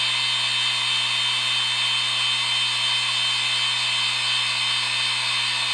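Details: IBM Deskstar 120GXP IC35L120AVVA07-0, 123.5GB 7200 RPM, 3 platters, spinning up and down: harsh, steady high-pitched whine with a rough edge throughout; worn spindle bearings.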